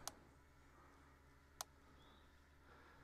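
Sharp single ticks about every one and a half seconds, steady and crisp over a quiet hum: an energizer pulsing normally with nothing connected.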